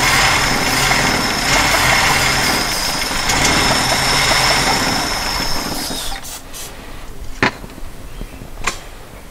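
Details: 1977 Jeep CJ-5 with a fuel pump that appears not to work, on a makeshift siphon fuel feed with fuel helped into the carb bowls: it catches, runs roughly for about six seconds, then dies; likely fuel starvation.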